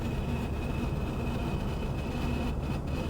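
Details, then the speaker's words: 1951 Chevy on a shakedown drive: thin steady high squeal over road rumble, owner suspects the speedometer cable; plans to lubricate it. Cause suspected, not confirmed. "see that gauge there I'm pretty sure that's just the cable"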